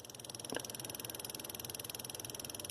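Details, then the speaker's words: Push-pull DRSSTC Tesla coil running at low power, phone held under the table: a thin, high metallic buzz pulsing about 16 times a second, with one louder tick. The buzzing comes from the screws on the table's metal frame near the coil. "i'm gonna cut the frequency up now it's buzzing maybe you can hear it better"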